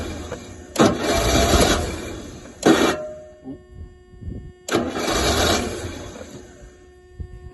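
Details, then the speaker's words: Rolls-Royce Silver Shadow on a freezing cold day, after fuel pump rebuild, fresh fuel and cleaned float bowl: starter cranks in bursts, engine catches a few weak firings then dies; has spark, won't keep running; owner suspects cold start or choke problem, unconfirmed. "I'm afraid it still doesn't appear to be any different just won't uh won't catch"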